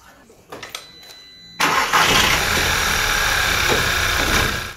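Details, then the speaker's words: VW/Audi EA888 2.0 TSI/TFSI petrol engine cranks, catches and settles into an uneven lumpy idle and shakes; OBD showed cylinder 3 misfire, traced to a faulty ignition coil pack by swapping coils between cylinders 3 and 4. "So if you get a shake like how this engine's shaking, first thing you need to do is obviously put it on an OBD port."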